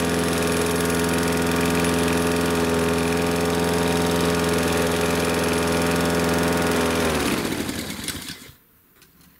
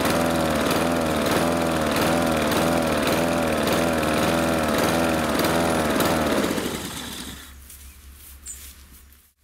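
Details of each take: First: Husqvarna R 53SV self-propelled mower running at steady even speed with no surging after Sea Foam Motor Treatment was added to the fuel; surging was suspected from blocked carburettor jets. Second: Husqvarna R 53SV self-propelled mower engine hunting, speed rising and falling about twice a second before shutting off; owner suspects blocked carburettor jets and is treating the fuel with Sea Foam.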